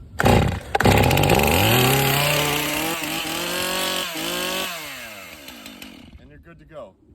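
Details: Brand-new Stihl chainsaw started after choke set and primer pumped: catches and revs cleanly, pitch climbing and falling smoothly with throttle before easing off, no stumbling; normal running.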